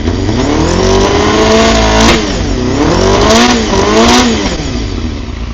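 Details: Carbureted Honda CBR250RR MC22 four-cylinder, just revived after sitting 3 years. Revs rise and fall in uneven blips and sags, running rough but with no mechanical knocking. Owner suggests heat cycles, fresh plugs and carb synchronisation.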